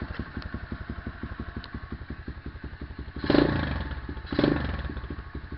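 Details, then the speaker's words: SSR 125 motorcycle with Mikuni 26mm carb, first start after fitting a new CDI box, idle screw unchanged: small single thumps at an even idle that rose, two crisp throttle blips picking up cleanly; runs healthy. "I could already hear that the idle speed went up, and I'm happy that it works."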